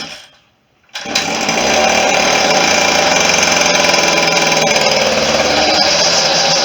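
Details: Stihl FS40C string trimmer two-stroke after tune-up, started after priming; after a quiet pause it fires and holds a high, buzzy, fairly even speed with no obvious misses: engine running.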